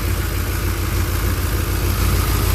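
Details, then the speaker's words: 1967 Chevrolet C10 V8 after camshaft and lifter change, warming up with temperature gauge temporarily hooked up: loud even fast idle, steady throb, no lifter tapping or misses; smoking stopped, running good. "I think that's a little gas I don't think that's all man it's running good"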